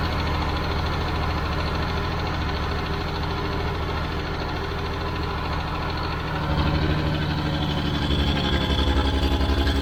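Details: Old Caterpillar D6 dozer diesel started after fuel was found to be the problem: steady, even clatter at a low idle pulse, revs picking up smoothly around six seconds; normal running.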